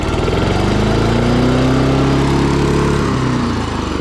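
Even, steady single-cylinder beat of about four per second with a clean, smooth drone; the mower is running properly.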